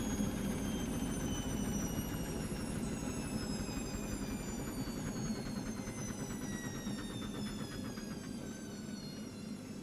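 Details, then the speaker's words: Brandt 7 kg, 1400 rpm washing machine with a spin-balancing fault, finally starting its spin at 8 minutes remaining: steady whirring drum with soft swish about three times a second, motor smooth and even; normal spin. "et là en miracle elle a démarré elle a démarré alors attendez mon fum s'est [Musique] enclenché elle commence à entamer sa [Musique] rotation et là la voilà"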